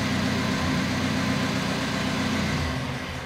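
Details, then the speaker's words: 1950 Land Rover Series 1 80-inch, rebuilt, live cold start on choke; a steady even low rumble with no knocks or misses, the fuel pump ticking a little; a normal cold idle. "so you can hear the fuel pump ticking a little bit right a bit of choke lovely look at there"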